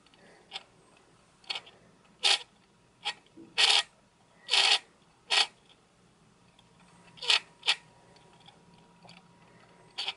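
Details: Sony NEX-5N with SEL50F18 50mm f/1.8 lens, OSS on: short, raspy high-pitched grinding bursts at irregular intervals when the stabilizer engages; newly bought lens, no grinding with OSS off.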